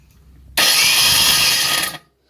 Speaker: here's the difference it sounds just like a drill this is if you're just final dressing just trying to get that last little bit